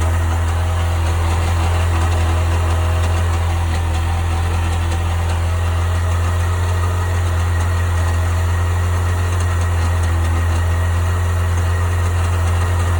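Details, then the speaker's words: 1998 Sea-Doo GS 720 at idle: a steady deep drone with a loose, uneven knock underneath at about four a second; the cause of the noise is unknown. "So what the hell is that noise? Any help's appreciated."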